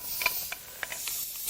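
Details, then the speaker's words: Nissan VQ40DE 4.0 from 2010 Xterra, 203K miles, leakdown test: steady airy hiss with faint ticks as air escapes past an exhaust valve in this cylinder. "we'll hook up the leak down tester which puts air in the cylinder and if there's anything leaking by we'll be able to see it"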